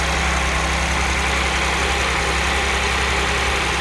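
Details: Audi S4 B8 V6, 2010, manual gearbox, 110,000 km: cold start idle with a busy, fine metallic rattle layered over the steady engine note from a stretched, bad timing chain, later fixed.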